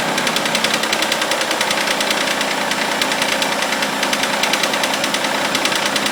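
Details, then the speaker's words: Mitsubishi Eclipse just after cold start, idling then revved: sharp fairly regular ticking about three per second, noise sometimes goes away; owner suspects lifter or hydraulic tensioner, source unconfirmed; ticking noise at idle. "So, if anyone could help me figure out what is making that annoying clank. Like I said, it goes away sometimes, but thanks in advance."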